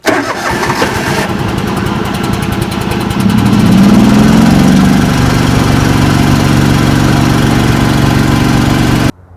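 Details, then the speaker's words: 1989 John Deere 285 with Kawasaki FD590V V-twin, old coils and plug caps: about three seconds of cranking at roughly four pulses a second before catching and idling; prolonged starts from failing ignition coils, also bogging in thick grass. "my first sign that we were having some trouble was prolonged starts."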